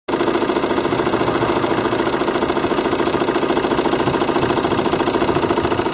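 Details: Renault Megane 2 1.9 dCi diesel at idle: sharp, regular knock of about two per second that disappears when revs rise, with slight vibration. The source has not been found yet.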